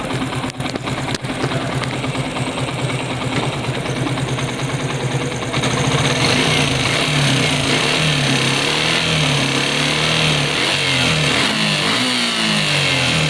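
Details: Suzuki Gixxer single-cylinder engine revving: a fast metallic rattle that rises with the revs, a timing chain rattle calling for timing chain replacement.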